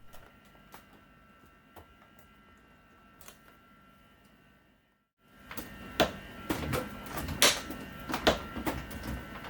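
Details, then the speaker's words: Samsung RFG298HDRS French door refrigerator after a spacer was added to the left door's lower hinge bushing to fix door sag: sharp dry clicks as the door swings, as the closer piece pops down where the hinge has worn a groove. "the million is working fine but I now have a loud click when moving the door sounds like it's coming from the lower hinge area"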